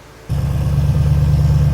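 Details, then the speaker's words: RX-7 (990 HP) fully reassembled after cracked-piston rebuild, started for loading on a trailer: catches and settles into a steady, deep, even idle, smooth low burble; normal idle, good oil pressure, not steaming heavily from the back. "this thing looks cool it all sounds real good so it's got good oil pressure sounds like it's idling real nice"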